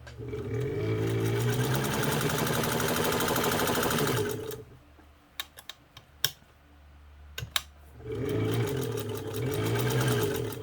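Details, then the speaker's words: Kenmore 117.552 (Kenmore 55) sewing machine, cleaned, leather-recovered friction pulley tire, new motor and pedal wiring, straight-stitch test: quick even stitching chatter about two stitches a second, no knocks or catches; sews really well, normal running. "Just sews really, really well. The stitches on the top and the bottom are just amazing."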